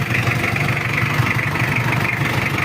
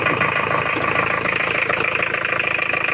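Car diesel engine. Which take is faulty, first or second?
second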